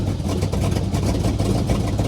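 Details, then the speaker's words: LT1 V8 with a Comp XFi 292 cam, cold, IAC maxed out, throttle stop raised, on a poor generic PCM For Less tune: heavy, lumpy, uneven low rumble with choppy lope; big cam running rough on a bad tune. "It's cold, so I'm trying to bump that up just a little bit on the throttle stop there. Sounds like ass."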